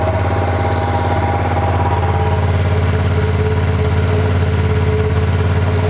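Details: New 2025 Ducati Panigale V2, just built from the crate, first startup: steady even low twin throb at idle, no knocks, misses or rattles; normal idle.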